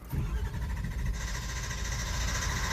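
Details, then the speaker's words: 2004 Ford F-250/F-350 6.0 diesel, long crank with no start: steady rapid starter cranking for seconds, never catching; codes show injector control pressure (ICP) too low during cranking, cause not yet confirmed. "so anyways it's got a long crank time well it doesn't even start"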